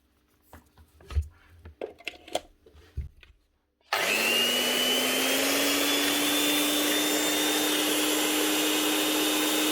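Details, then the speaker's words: Old Makita 9609B 9-inch angle grinder after new lead and bearings, test run: steady even high whine with no rumble or grinding; grease still settling, maybe slight gearbox noise, sounds much better. "a lot better you can hear that grease moving around on side that'll have to get actually thrown around a we bit before it actually settles we might get a we bit of noise over the gearbox but just sounding a hell of a lot better"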